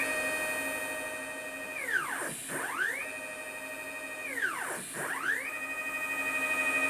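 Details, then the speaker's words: Upgraded Y-axis stepper on a homemade JGRO CNC router, Mach3 velocity at 40 (43 and 45 slipped): clean stepped whine rising, holding and reversing with no stutter or missed steps, so 40 is max, later set to 38. "so you know 40 45 it slips and 40 it does not"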